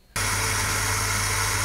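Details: Old household water pump running: loud steady gritty rush with low hum underneath, no speed change; the old pump's impeller is grinding and needs replacing.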